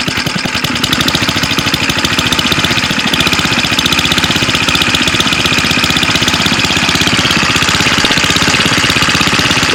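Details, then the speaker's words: Go-kart single-cylinder engine with centrifugal clutch, after clutch maintenance to fix chatter and engagement at idle that stalled the engine: fast, even putter at idle with no chatter or grabbing; problem solved. "sounds good this thing was running so poorly that I think would have would have done it by now things gonna do it so pretty happy with that"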